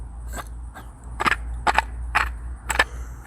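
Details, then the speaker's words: Removed water pump from Ford 3.5L Duratec (Edge/Taurus/Sable): spun by hand, irregular dry clicks and rough catches several per second, impeller has much play; bearing blown out, seal ruined. "It completely blew the bearing out and ruined the seal. And that's what happened."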